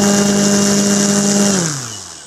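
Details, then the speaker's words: Nexa Fokker D-7 RC plane electric motor at full throttle on higher-voltage SMC batteries with a higher-pitch prop; strong steady whine and prop roar, then smooth wind-down; 43 A, 1048 W, slightly less than the previous prop; normal run-up. "that sounded much better okay 43 amps 1048 wat power still it's a little less than I had before in the other prop"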